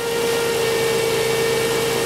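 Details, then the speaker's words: 2005 Chrysler Pacifica 3.5 L V6 idling in park: steady high-pitched whine appears when the alternator is reconnected; a faulty alternator diode induces AC ripple into the output shaft speed sensor signal, causing an erratic speedometer. "but when I hook it up you'll hear the alternator start whining out and you don't see anything cuz I'm not hooked"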